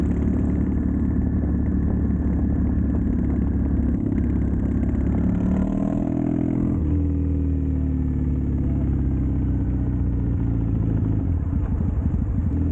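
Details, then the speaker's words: Triumph Bonneville T100 with drag pipes after air baffle removal and stage 4 ECU tune, on test ride: deep even twin rumble climbing smoothly with revs, no pops or bangs; backfiring fixed, runs clean. "I like to low grumble. I've now got the low grumble, backfiring stopped, popping stopped. The bike absolutely runs like a dream."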